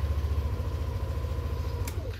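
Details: Yamaha Aerox 155 scooter starting after 3 weeks stored unused at home without warming up; quick catch, then low even idle putter with regular pulses and no misfire; normal start and idle.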